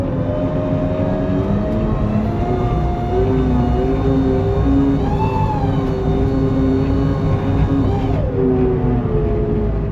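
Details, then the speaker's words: Case 580EV electric backhoe, cold and warming up: quiet electric hum with tones stepping and sliding in pitch as the transmission shifts, seeming to hunt for gears; normal shifting, only noticeable without a diesel engine. "When you initially get into the machine makes a big deal out of shifting the transmission and sounds like it's hunting and pecking for gears."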